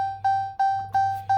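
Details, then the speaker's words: 2018 Ram 2500 Laramie Longhorn 6.7 Cummins, premium gauge cluster: a clean electronic ding repeating about every 0.35 s. This is the key-fob-left-vehicle warning chime. "anytime I jump out of the truck for a minute and I got the keys in my pocket, my poor wife sitting over in the passenger seat has got to listen to that ding, ding, ding, ding, ding, ding, ding."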